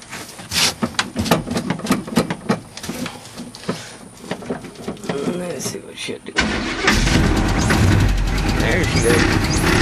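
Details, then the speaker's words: Cold start: cranks briefly, catches near six seconds, then runs rough with an uneven knock about four per second; owner says the torque converter is knocking; not confirmed. "this one here sounds like it's talking but yeah that's a mess ain't it what it is a tar converter is knocking it"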